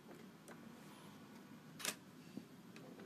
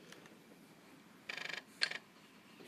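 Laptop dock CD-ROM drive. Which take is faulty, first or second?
first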